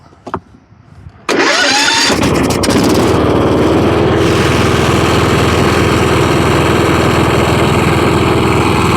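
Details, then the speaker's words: Kohler Courage on a Husqvarna riding mower, after a no-start fixed by blowing out the carburetor with brake cleaner and air (likely debris): short crank, quick catch, steady even single-cylinder idle. "sometimes it's simple this probably was just a piece of trash that we blew out with the brake cleaner and the little air hose that we didn't see"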